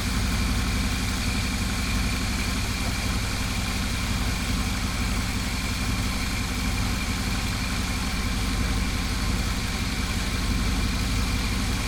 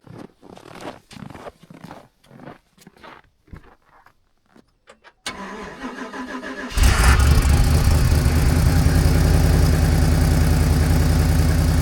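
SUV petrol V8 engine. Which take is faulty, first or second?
second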